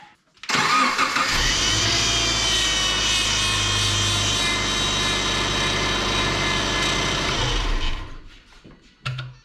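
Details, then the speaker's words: 2006 Subaru Forester with leaking power steering pump, cold start after refilling fluid: steady high whine and squeal over the running engine as the wheel is turned back and forth; fluid low and foamy, much air in the system. "so you can hear how much it's winding and squealing so that's gonna be just because it's low on fluid it's sucked down a lot already"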